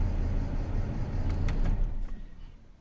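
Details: BMW N53B30 inline-six, cold start then rough idle after about a minute, engine shaking: low uneven beat with a stumble about four times a second; P0306 cylinder 6 misfire despite new spark plugs and coils.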